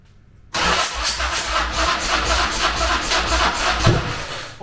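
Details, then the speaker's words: Custom motorcycle with an S&S Harley Evolution-style V-twin, parked about 20 years, during its first revival start: rough churning crank for about four seconds with a sharp pop as fire comes out; it never runs. "oh uh was fire supposed to come out yeah that's second"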